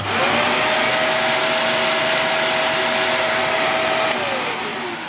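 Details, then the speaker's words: Morphy Richards 73415 (Shark Navigator Pro) lift-away upright vacuum, new: suction motor spins up to a steady mid-pitched whine over an air rush, winds down smoothly; no high-pitched scream, healthy. "is no high-pitched scream that you get with many vacuums, certainly Chinese-made vacuums."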